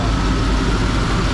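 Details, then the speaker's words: 1991 Chevy 1500 OBS pickup at idle after AC repair with new compressor, condenser and drier, charged with three cans of R134a, compressor engaged: steady, even idle, no knock, squeal or grinding; compressor running quietly and cooling well. "Crank the truck and then cut the compressor on second. There, man, that's super quiet."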